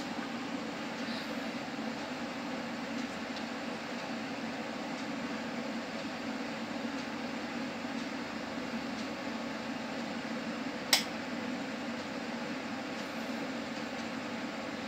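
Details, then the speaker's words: Pioneer AV receiver powered on after a repair for relay clicking during music and movies; relays were checked and found fine. A quiet steady hiss with a single normal relay click and no repeated chattering: a normal power-on. "So that's it. Now there wouldn't be any clicking noise coming from the relays, because I've checked the relays, as I told you, and they are fine."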